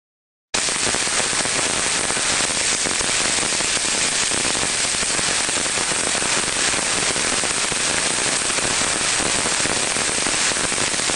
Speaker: we can hear from that sound there we're hearing now crackling sounds in there not very repetitive but again indicating a very early-stage problem